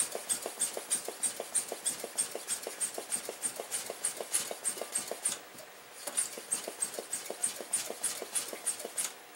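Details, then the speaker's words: Coleman stove tank pump after check valve repair and oiling: quick, even squeaky strokes about three a second, no hiss leaking back where it leaked before; check valve sealing, normal pump operation. "normally before when I took my thumb off the the pump here it was leaking we're not getting that anymore folks we have a repaired check valve on a Coleman tank pretty cool"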